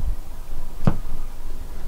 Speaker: there is a little pop in the speaker i'm not exactly sure why